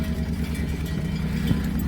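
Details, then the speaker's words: Misfiring engine, uneven lumpy idle with missing low thumps and spitting, splattering pulses; running on two cylinders, and a spark plug test shows cylinder three dead. "Right. So this thing is firing on two uh two barrels. Okay."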